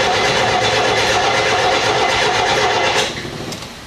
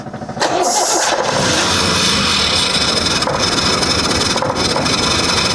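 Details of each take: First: Leyland P76, unstarted for 5 months and previously running on four or five cylinders, cranking with throttle held to the floor: steady cranking about three beats a second, all six compression strokes sounding even, before the carburetor work. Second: Leyland P76 six-cylinder, unstarted for 5 months and misfiring badly before: it starts, then runs rough and lumpy and won't rev out cleanly; a firing order check then found a problem.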